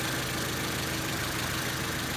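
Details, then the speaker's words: Warm-up idle on Honda Civic EG after sitting long: steady, even idle with smooth low drone, rear rattle now gone; motor and transmission mounts still need fixing and clutch slips. Normal idle. "good thing is that you don't hear that rattle in the rear anymore it's just idles pretty good"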